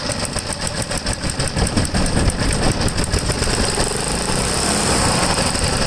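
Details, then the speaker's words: Vintage Briggs & Stratton 3 hp single-cylinder engine, unrun about 15 years, carburetor likely gunked; fast ragged high speed never settles, won't ground out to shut off; throttle stuck open, suspected from rust: overspeed. "this thing won't even ground out to shut off it's running way too high of rpm way too high was running full square"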